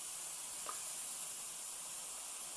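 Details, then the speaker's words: Road tubeless bicycle tyre on a carbon rim, before adding sealant: a soft, steady high hiss of air escaping through at least two small holes and a slightly larger cut. "you can hear it hissing and I mark them with tape and another slightly larger hole or rather cut here"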